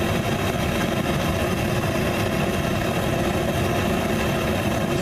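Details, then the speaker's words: Frosty T burner with larger bell at full 20 psi regulator pressure, air intake fully open: loud steady gas roar with slight uneven flutter, flame unstable; covering half the intake stabilizes it, so an air regulator is planned. "very stable like that but as soon as I cover half the intake stabilizes right out"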